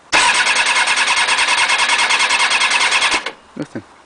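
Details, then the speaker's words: Motorbike with the alarm on and the battery recharged, tried with the choke on and off and a little throttle; about three seconds of quick even cranking, roughly three beats a second, never catches or fires, cranks but won't start. "Don't know what it is. So, yeah. Um, any hints, tips would be advisable."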